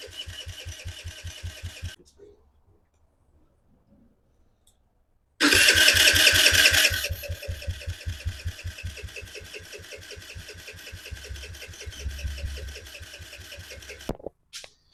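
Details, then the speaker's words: 2007 Kawasaki KFX50 4-stroke 50cc kids' quad, bought as a no-spark no-start; starter spins the small engine evenly for several seconds but it never fires. Plug wet, fuel present, gas of unknown age, boot not seated properly. "nothing I mean this car boot is clearly not on right but it should be enough to fire her up"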